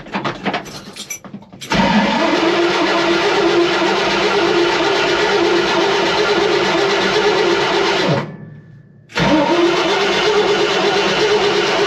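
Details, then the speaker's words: Ford F100 with a newly installed mini torque starter and heat shield: a brief crank catches quickly into a strong steady run, dips briefly, then fires right back; normal starter cranking and engine start. "Dude, that thing sounds sick, bro. Dude, that thing sounded sick."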